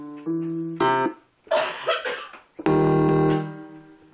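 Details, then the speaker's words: Yamaha Portable Grand DGX-203 keyboard: piano notes play cleanly, then a held chord cuts out with an odd sound and the keyboard shuts off and reboots; cause unknown, owner suspects the sound board. "You hear that sound? And then it shuts off."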